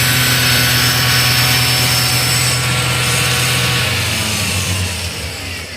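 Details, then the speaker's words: Iveco alternator with a freewheel (overrunning) pulley, on a bench test under charging load: an even, steady whir with no slipping or chirp; the pulley is holding and the alternator is charging normally. "Bom, pessoal, agora todas as vezes está carregando. A polia não quis patinar agora na hora da carga."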